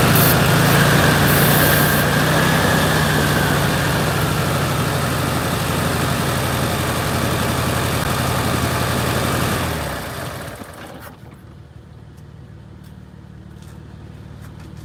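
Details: VW Beetle air-cooled flat-four after valve adjustment and tune-up: idles unevenly with a lumpy, hunting beat for about ten seconds, then shuts off; tightening the clamp did not help, so the intake manifold boot needs replacing; vacuum leak.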